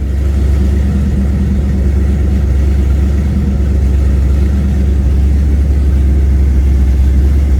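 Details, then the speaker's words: Chevy Nova small-block 350 with Holley Sniper EFI, running on open headers: smooth, even low burble at idle, steady rhythm with no miss or tapping; sounds good. "okay so it sounds good that it's running and it sounds you're like I don't even hardly hear it look that's open headers"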